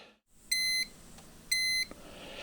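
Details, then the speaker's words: Dometic 2652 RV refrigerator: three high electronic beeps, each about a third of a second, once a second, fault alarm returns after replacing the propane auto-switching valve and hoses for suspected gas flow restriction; fix didn't work. "yep there's that noise again the problem was not solved so that didn't work"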